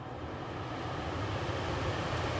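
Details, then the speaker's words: Rheem gas furnace after circuit board replacement, tested by jumper with no thermostat wires: quiet, even rushing hum building gently and holding steady without rubbing or rattling; blower running normally on low continuous-fan speed. "and that's a lower speed you can tell that's not high that's not the blacks and that is that continuous fan"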